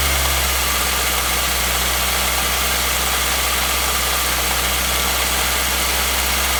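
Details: 2016 Nissan Versa, HR16DE petrol engine, only 449 km, idling steadily with a faint ticking knock through the hum; the knock persists at idle and its cause is not confirmed.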